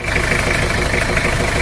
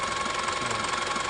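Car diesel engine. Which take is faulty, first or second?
first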